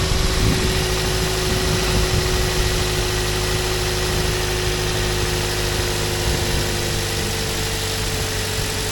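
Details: 2007 Toyota Yaris, with belt replaced and alternator retensioned to cure the belt squeak: a steady, even idle with a constant low hum and no chirp or squeal from the front of the engine. The belt sounds fine.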